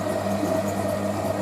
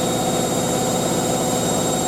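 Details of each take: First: Hotpoint 9530 Electronic 1000 Plus washing machine, towel load on boilwash: steady hum with a high squeak pulsing about four times a second from the drive during the wash; owner says it's just the motor, nothing wrong. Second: Hotpoint 9530 Electronic 1000 Plus washer spinning a large towel load after a boilwash: steady even whirr at full spin speed, no thumping, knocking or surging; drum balanced and spinning smoothly.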